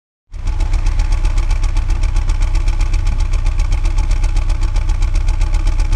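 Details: 2001 BMW E46 at idle; engine catches and settles into steady idle with rapid, even tapping pulse; owner suggests bad piston, but cause could be anything.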